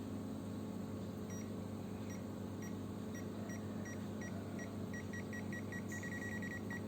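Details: Zoyi ZT102A multimeter tracer with the yellow button held on a plugged-in, unbroken radio cable: short high beeps come irregularly, then speed into quick bursts over a quiet room hum; the dotted beeping means a live, unbroken wire.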